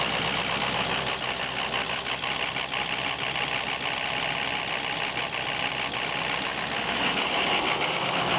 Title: Rough Idle From Bad ICP Sensor